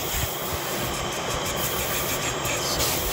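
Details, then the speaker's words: 2015 Chevy Equinox 2.4L with code P0411, secondary air injection activated by scan tool, valves open and pump running: loud steady rushing whir with even airflow; good airflow, this one has moisture in it. "let's check on the secondary injection system yeah here we go active inactive so this should open those valves up and run the pump or the yeah activate airflow good airflow this one's got moisture in it"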